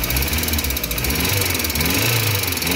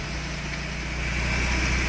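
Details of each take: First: VW AP 1.6 G3 flex engine with low oil pressure (3 bar cold, dropping to 1 bar at warm idle), just started after fitting the larger oil filter: fast, light ticking over idle, rising with revs, as hydraulic lifters still tap while they fill with oil. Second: VW AP 1.6 G3 flex engine, warmed to 90 degrees and restarted several times, checked for lifter tapping: smooth, steady idle with no lifter tapping.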